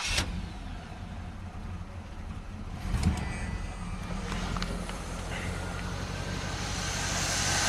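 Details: 1978 Chevy G-body T-top with a 305 V8, suspected valve seat issue, one intake pushrod spinning faster than others, running on seven cylinders: uneven, loping idle with an irregular stumble like one cylinder dropping out; misfire at idle.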